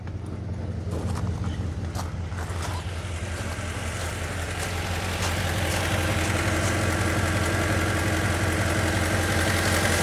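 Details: Ford Mondeo Mk3 1.8 Zetec petrol idles with a lumpy, uneven thud about three times a second, a misfire with the check engine light on. Codes are P0300, P0301 and P0304; the battery is low at 12.17 V and a possible exhaust blow was noted.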